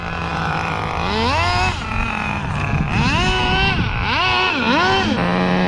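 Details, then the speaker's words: 2002 Tamiya Terra Crusher 1/8 nitro monster truck under acceleration: the engine revs freely up and down without pulling, as if power isn't getting through the transmission. The owner says it is not the slipper clutch. "Yeah, but when I accelerate, listen to this, guys. When I accelerate, you could hear. It's not, you know, getting all that power through the transmission. And it's not the slipper, so don't say it's the slipper."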